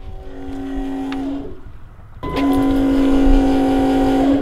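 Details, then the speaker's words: Other 2001 Cummins with a different aftermarket lift pump, compared to the AirDog: two bursts of loud steady electric hum with fixed tone, no grinding or surging; louder than the AirDog but healthy pump priming. "I know they engineered these to make them as quiet as possible, and that thing is pretty dang quiet. That's way quieter than what I was expecting to hear."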